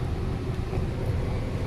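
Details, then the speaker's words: Nissan Almera with misfire complaint after spark plug replacement, idling in reverse and drive with brake and handbrake on: low steady rumble, no stumbles or missed beats; even, healthy normal idle under load. "O sir, okay na yung sasakyan mo."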